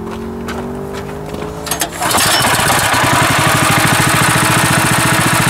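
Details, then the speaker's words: Sawmill engine after its mounting was adjusted to fit the tracks: catches, then settles into a fast, even, steady beat at full throttle with no misses; runs clean and healthy. "oh that's better yeah that'll be better i think it would have just brought before and had a problem problem with that so beautiful"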